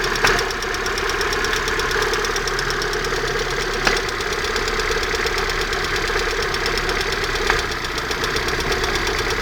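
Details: Fast, even ticking knock over a steady idle, constant throughout, reported near the exhaust manifold; owner asks what it could be, source not yet identified.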